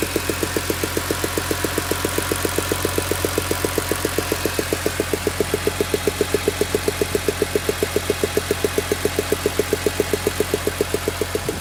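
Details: BMW E46 M3 S54B32 at warm idle after a cold start: a sharp, very even tick about four times a second over the engine hum; strange engine noise, cause not yet found.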